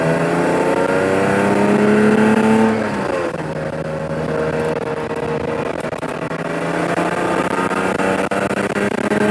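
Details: Lexus IS300 after CD009 manual swap from G35, first drive: engine pulling up through revs with raspy, puffing exhaust edge under load; exhaust not fully connected, leaking badly; separate high-rpm rattle possibly transmission or trans tunnel contact.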